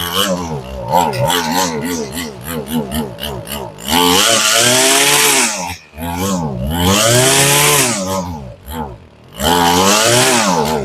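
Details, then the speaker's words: Warm two-stroke weed eater run with fuel tank emptied for winter storage: revs surge and sag unevenly, cut out and catch again as it burns the last fuel from the carburetor; fuel starvation before stalling. "Now you can hear it. You heard it fighting and you can hear it taking every last drop of gas out of the carburetor."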